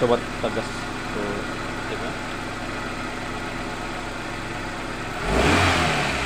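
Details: 1997 Suzuki Baleno, previously misfiring and lacking power, after repairing spark plug wires and a leaking number-one injector O-ring: steady even idle, then clean quick rise in revs without stumble or hesitation.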